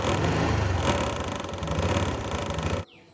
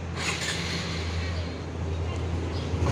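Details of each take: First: 2022 Honda Wave125i LED, under a year old: owner reports noise from the front fairing/body panels when riding and revving; at low idle a light uneven buzzing rattle rides over the engine, stopping at shutoff — front fairing rattle. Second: 2022 Honda Wave125i LED, under a year old, after fixing front panel/body-kit rattle by refitting screws with threadlocker: steady low engine hum while riding, no buzzing or rattling from the front; quiet and normal.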